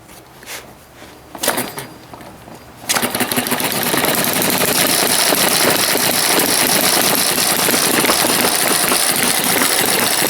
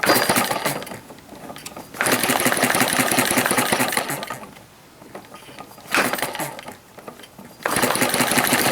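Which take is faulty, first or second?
second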